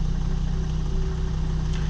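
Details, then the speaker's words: Volvo XC70 2.4L D5 diesel idling after restart, following high-pressure fuel pump replacement: steady, even low clatter, no misses; much better, healthy idle. "So far it's running smooth. Shut it off and restart it. Yeah, that's much better."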